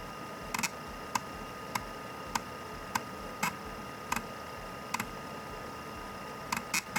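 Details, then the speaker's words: IBM PS/2 floppy drive at boot; the intermittent fault appears temperature-sensitive around an adjacent 74HC74 flip-flop IC. Irregular sharp ticks about every half second, then a quick cluster: the head is visibly and audibly struggling to seek, cause unconfirmed. "that said I can clearly see and hear the head struggling when booting up check this out"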